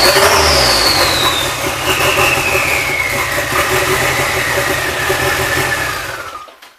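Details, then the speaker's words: Nissan Sentra with GA16DET turbo engine, first start after head gasket replacement: catches and runs fairly evenly with a falling rev sweep before shutting off, no knocking; ran decently for a few seconds, timing seemed on point. "Bargain. She runs. Yep. So the car ran pretty decent, it seemed like."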